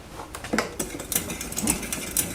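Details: Trek Top Fuel mountain bike drivetrain, before cassette and chain replacement: irregular light clicks and rattles from the chain as the cranks turn, gears not running cleanly; derailleur-to-cog and hanger alignment being checked, cause unconfirmed.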